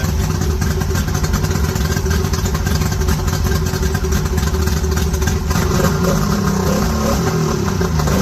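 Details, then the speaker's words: Mercury 50HP two-stroke outboard bought on Marketplace, first start with temporary battery cables: busy, even idle with a steady low buzz and no misses or knocks, seemingly idling alright. The carbs may need cleaning. "Just glad to hear it running. Seems like it's idling alright."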